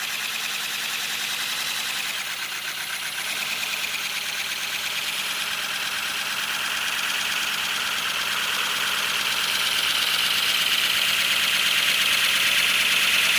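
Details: First-build 3D-printed PLA V12 model engine on compressed air, freshly lubricated, no exhaust port yet: fast, even chuff under strong air hiss growing louder as pressure is raised; running smoothly.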